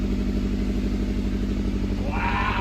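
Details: 1995 Lexus SC 400 V8 first running after sitting a long time, vacuum lines being sorted: low burble with a slightly uneven, pulsing beat at idle, rough but improving as it sorts itself out; cause not confirmed.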